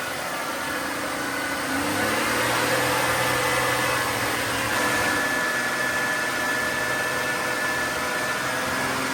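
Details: GM 3.8 liter (3800) engine after new water pump, held at fast idle to purge air from coolant, temperature normal: steady, even hum with no knocks or misses; sounds healthy.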